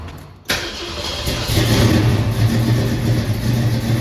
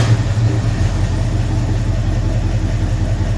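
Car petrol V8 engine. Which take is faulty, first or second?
second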